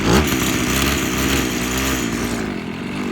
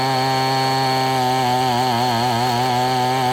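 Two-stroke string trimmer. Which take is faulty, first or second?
first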